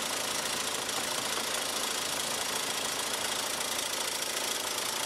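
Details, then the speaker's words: 2002 VW Jetta 1.8T at idle, shop told owner it was the turbo: light uneven clacking about three per second over hissy idle, fades when revved then returns; possibly a loose bracket, source still unclear. "but it seems to have went away when you rev it up a little well dadgum dadgum dadgum the clacking went away how can I find it if it's not doing it admit it's starting to clack a little bit again"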